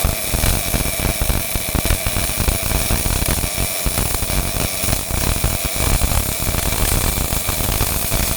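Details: Miller-Matic 251 MIG welder at 21 volts, 366 wire speed, welding pipe fittings: continuous crackling frying hiss across the whole pass, no pops or gaps; steady stable arc.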